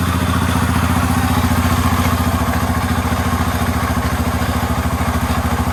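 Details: Yamaha Raptor 350 quad after top-end rebuild, first start, plastics and tank off, fed from a battery, Chinese carburetor; crisp even single-cylinder thump about three and a half per second, no misfires, healthy idle.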